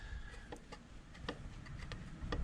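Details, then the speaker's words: 1929 Model A Ford banger engine rebuild, engine rolled slowly by hand from underneath: light uneven clicks about two a second; timing gear broken loose from its hub on the camshaft end; timing gear knock from loose cam gear. "see that the gear itself is actually broke loose from The Hub from the actual Hub on the end of the cam shaft and that uh that's not good"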